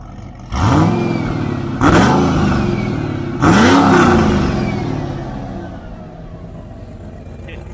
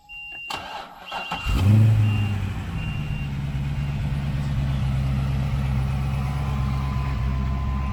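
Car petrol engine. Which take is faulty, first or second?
first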